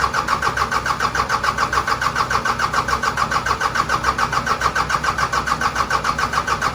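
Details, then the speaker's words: Cummins 4BT diesel in a Power Wagon, first start since 2015, temporary battery and fuel supply, new filters, no coolant: even cranking about 3.5 beats a second with no catch yet; balanced compression. Normal cranking. "got a battery set up temporarily here so we'll fire it up crank it over see if it'll make oil pressure"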